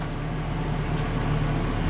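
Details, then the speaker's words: Ford Crown Victoria idling with an uneven beat and occasional stumble, an irregular misfire blamed on a spark plug gapped wrong or bent too close; the bad plug is not yet identified. "See that? That's an irregular misfire. That means that somebody didn't gap the spark plugs or one of them has got a gap that's bent a little too close."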